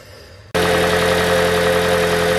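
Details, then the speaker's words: 2012 Toyota Prius V (ZVW40R) 1.8L 2ZR-FXE hybrid 4-cylinder, automatic, after replacing the loose top exhaust heat shield: the engine starts and settles into a smooth, steady idle with the metallic rattle gone; normal idle. "So now we couldn't hear it in noise. The noise gone."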